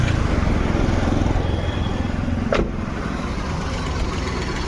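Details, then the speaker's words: Maruti Suzuki WagonR idling on CNG has an uneven beat with an irregular stumble, about three to four pulses a second, plus tak-tak ticking; it runs fine on petrol. Fault codes were cleared, and the owner suspects a CNG injector. "लेकिन गाड़ी missing अभी भी है अभी CNG प convert होता है देखते हैं अभी पेट्रोल प गाड़ी वि फयर नहीं है पेट्रोल प अभी सीएनजी प चली गई और गाड़ी हमारी मिसिंग करने"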